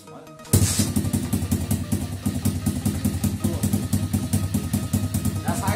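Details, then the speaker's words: 50cc two-stroke pitbike after carburetor cleaning, idle screw turned in half a turn so it stays running, mixture screw still fully in. Lumpy, uneven idle with irregular firing pulses; idle mixture not yet set, rough idle. "Also merkt sicherlich, dass es sich noch nicht perfekt anhört. Und dafür haben wir jetzt diese die Gummischraube."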